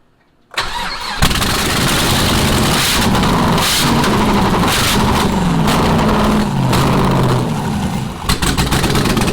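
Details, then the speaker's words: Rally project Camaro, started with no exhaust or O2 sensor: it cranks, catches, runs lumpy and uneven with a wavering note, then shuts off; owners suspect it ran out of fuel. "well I didn't expect it to shut off but we might be out of fuel"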